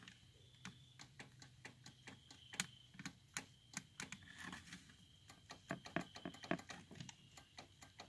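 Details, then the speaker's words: 1987 Chevy Celebrity Eurosport, over 30 years old and sat for seven-plus years: quiet, sharp ticks about three per second from the upper dash, like a relay, while none of the door locks move. Owner suspects a ground or power fault or dead actuators; unconfirmed. "all you hear is a clicking sound on this side in the upper part of the dash it's like a relay so I'm not sure what's wrong"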